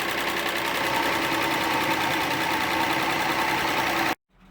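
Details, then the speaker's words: 1996 Audi 80 Coupe 2.6 V6, unmoved for 15 years, running on stale old fuel with the air cleaner off. Fast, busy ticking over an uneven idle; suspected hydraulic tappets short of oil, an exhaust leak or a stuck valve. "it definitely doesn't sound a happy bunny um I can't tell if it's hydraulic tappets which haven't got enough oil if it's an exhaust leak or stuck valve or a combination of all those"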